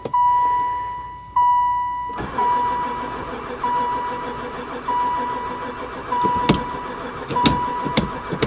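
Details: Van that sat about 4 years (2002 mentioned): a chime, then the starter turns the engine for seconds without firing, even with gas dumped in the intake; owner suspects no spark, cause unconfirmed.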